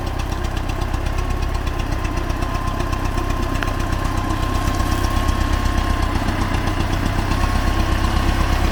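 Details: Soviet T-40AM diesel tractor, cold day about -14 °C, driving through a ditch testing the differential lock: steady, even knock about four per second over the idle rumble; source not yet pinned down.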